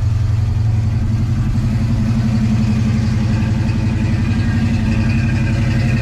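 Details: 1989 Mustang 5.0L V8 converted from EFI to Holley 600 CFM carburetor; steady, even low V8 burble with smooth unbroken beat, no knocks or misses; normal idle.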